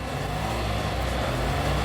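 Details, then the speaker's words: Car engine running after water was ingested at 60 mph to induce hydrolock: deep, uneven rumble with slightly irregular low-end pulses and rattling. "it's working hear that it is rumbling i can't imagine why though give it a bit more"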